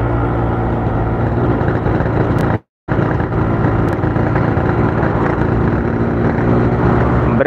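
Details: Yamaha RX King two-stroke under throttle: an uneven, stuttering beat that never clears; the stumble is blamed on a flooding carburettor and leaking, bent reed valves.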